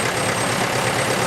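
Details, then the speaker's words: 1953 International 275 tractor running a PTO-driven Ferguson cordwood saw: light metallic tinkle above the steady engine beat, keeping pace with engine speed; cause not yet traced, owner wonders about the dynamo. "anyway can you hear that tinkling noise above the engine legs what on earth is going on sort of running with engine speed"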